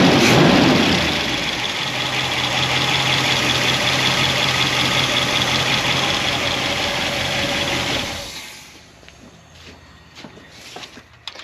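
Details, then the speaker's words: 1976 Corvette engine with solid roller lifters on a hydraulic roller cam, not fully warmed up, idle after moving the pushrod guide plates because pushrods were hitting the head; even light top-end tick from rocker clearance, night and day quieter, then shutdown. "Yeah, there is a little play inside the rocker arms because of the clearance. It's not totally warmed up yet, but that is night and day."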